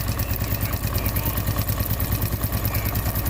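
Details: Honda Wave 110i after engine rebuild for a worn engine and noisy cam chain, idling: steady, even single-cylinder putter about three beats a second, no tapping or chain rattle; a healthy, smooth idle.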